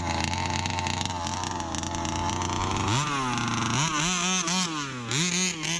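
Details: Brand-new Rofun Power 32cc two-stroke: idles steadily, then snaps up cleanly through several blips and drops back without stumbling; healthy engine revving.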